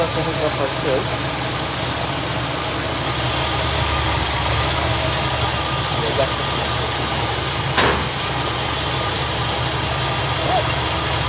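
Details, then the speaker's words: 1964 Buick Electra on first start after swapping the Rochester 4Jet carb for an Edelbrock 4-barrel, warming up. Steady, even idle rumble at a constant speed with no miss or knock; it runs right out of the box. "happy camper right out of the box boys and girls that's pretty normal with an edelbrock though it usually works right out of the box so i'm gonna let her get up to temperature"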